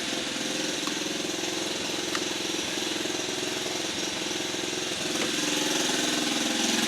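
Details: Rare 1950 REO engine, just revived, air cleaner off: even putt-putt about three and a half beats a second, no skips or stalls; running smoothly.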